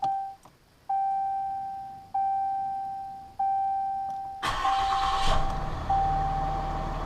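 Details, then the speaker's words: 2015 Ram 6.7L Cummins diesel during fuel filter change: four chime-and-prime cycles to purge air, then brief crank, quick catch and even idle with no stumbling; clean start. "uh then we'll turn it off and then I'll start it. Let it run for just a little bit till I'm comfortable all the air is out of the system."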